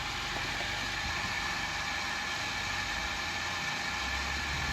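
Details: Water pump after repair: its 1-inch suction line had been reduced to half an inch, causing strange noise and cavitation. With the correct suction size restored, it gives a steady, even hum with a smooth hiss and no crackling, drawing water cleanly and running normally.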